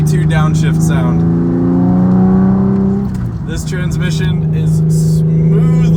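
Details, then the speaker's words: 2001 Porsche 996 Carrera 4 (now Carrera 2), first drive after rebuilding the transmission's 2nd gear for a failing synchro, engine warmed up: steady hum, revs dip and climb cleanly on a 3-2 downshift with no crunch or grind, a normal downshift. "all righty everyone well listen to this yeah I'm gonna do it again that was that sweet sweet 3-2"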